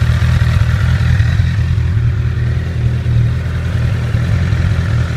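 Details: 2008 Honda CBR1000RR at about 29,400 miles: steady low engine note with a light, fast metallic chatter on top; suspected faulty cam chain tensioner, confirmed when replacing it made the noise go.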